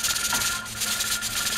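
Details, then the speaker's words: Pressure canner of field peas with 10 psi weight, just come up to steam: continuous hissing rattle with rapid uneven pulses instead of an occasional jiggle; weight rattling too fast from excess heat, heat being turned down. "when it's rattling you hear it rattle and it's not supposed to rattle this much you've just come up to steam"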